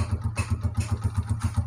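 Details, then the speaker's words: Honda CG125 old non-Euro model (2010–11) at idle after piston and ring rebuild, tappet setting corrected: even single-cylinder thump with no tapping on top; earlier bad sound came from a small assembly error; normal idle. "तो यहां पर देखिए दोस्तों bike की sound बड़ी बेहतरीन हो गई"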